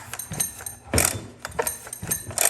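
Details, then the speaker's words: Husqvarna 372XP X-Torq chainsaw, newly built on this chassis and nearly fully assembled before its first fire-up: repeated hand pulls with the decompression release pushed give a ratcheting rasp and firm, even puffs, showing plenty of healthy compression. "It sounds like it's got plenty of compression."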